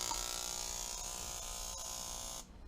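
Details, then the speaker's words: Ignition coil on an old Graham Lee coil and condenser tester, voltage turned up: steady high-pitched electric buzz of a strong spark, even and unbroken until switched off; coil is good and firing properly. "This is a coil tester here, a coil and condenser tester. A really neat old Graham Lee tester. But you turn it on and turn the voltage up."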